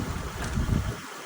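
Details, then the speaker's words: 2007 Honda Pilot 4WD started on a jump box: steady low engine rumble at idle with no knocks or misses, a little wind on the mic; engine runs quiet and healthy. "Engine sounds really good on this one. Very quiet."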